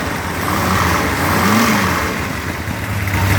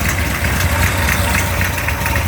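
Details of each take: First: Mopar 360 V8 short block on test stand, iron 587 heads, Stealth intake, 750cfm carb, aggressive 248°@.050 cam: catches after ~3 s, deep even ~900 rpm idle with faint rattle; lowish vacuum; healthy. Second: Mopar 360 V8 on test stand, near 180°F, ~900 rpm idle, 248°@.050 cam: faint sharp snapping tick over steady idle from an exhaust leak at the header.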